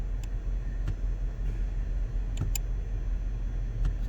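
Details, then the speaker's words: 2007 Cadillac DTS, 4.6L Northstar V8 (LD8), cruise control cutting out: sharp, irregular clicks from the shift interlock actuator over a low rumble as the brake pedal position switch shaft is wiggled. The worn switch sticks; fix is a new switch. "so every now and then that switch will stick because it's worn so as this guy's driving down the road it's kicking this cruise control off"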